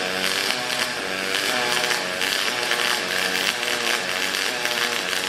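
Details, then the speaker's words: HTP Revolution double-pulse MIG welding aluminium box-section frame with a steady push: crackling arc buzz rising and falling in pitch about twice a second as current cycles between high and low amperage; welding normally. "go so that's the double pulse you can see where it's the machines put those ripples in there I'm just doing like a steady push motion across there and that's just the cycling of the uh high and low amperage setting"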